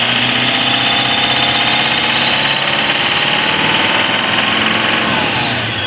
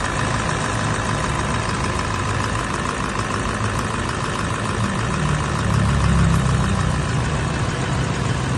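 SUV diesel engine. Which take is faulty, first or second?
second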